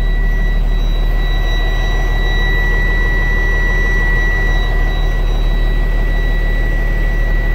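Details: 2017 Freightliner with Cummins engine and Allison automatic, after fixing a loose neutral-detect connection causing no-start: deep, steady diesel idle, even and unbroken, faint high tone over it; normal diesel idle.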